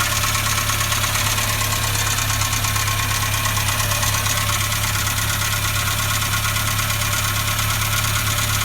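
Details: Renault Logan at cold start: a steady idle carries a rapid, fairly regular light knock, about two per second, over dense mechanical clatter. Piston knock is suspected but not confirmed.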